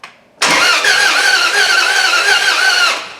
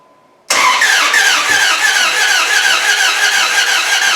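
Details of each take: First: Jeep 4.7 HO V8 replacement engine in a Dodge Ram 1500, valve cover off, cranked by jumping the starter relay: even, steady starter whirr for about 2.5 seconds with no bad valve noise and the cam spinning; normal cranking. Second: Jeep 4.7 HO V8 replacement engine in a Dodge Ram 1500, fuel pump relay unplugged: even cranking at about three beats a second for five seconds with hollow puffing and no catch; timing suspected jumped, cam not turning.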